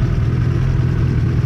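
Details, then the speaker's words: Engine just reassembled after head gasket replacement, first run before warm-up: deep steady even rumble, no knocks or misses; normal running, quieter than with the old gasket, which was noisier possibly because pistons were lightly hitting the head. "sounds good sounds better than it did with the other [Music] gas gasket actually uh sounded like uh a lot noisier probably because the Pistons were hit in the head but very lightly"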